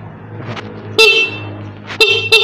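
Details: Motorcycle horn after fix with rubber piece added: sharp bright toots, one long and three short, clear and strong with steady pitch; horn now sounds properly.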